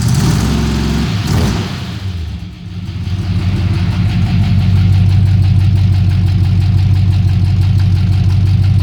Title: 1970 dual glass packs. It's got a lifter tick